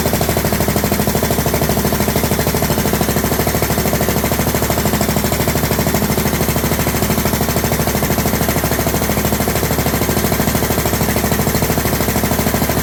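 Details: John Deere LT150, no choke, after fuel pump primed: loud sharp rapid popping chatter on every firing stroke; exhaust leak at overlong exhaust studs, later redone and quiet.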